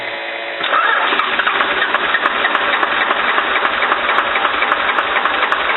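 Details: Cummins diesel with VE injection pump, after an injector line fix, throttle held to the floor: starter churns steadily at about three to four compressions a second but the engine does not catch; extended cranking, no start.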